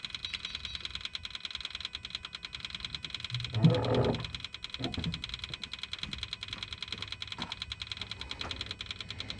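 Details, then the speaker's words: Kubota KX040-4 mini excavator after fuel filter replacement, key on: electric lift pump ticks rapidly, about three clicks per second, with a faint buzz, purging air through the opened bleed valve until a solid fuel stream comes; works normally. "can hear the pump is working, pumping air, and we have a solid stream of fuel."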